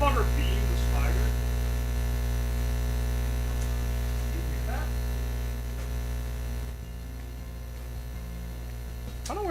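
A loud, constant low electrical hum that never changes under the other noises; a mains hum from an unknown source.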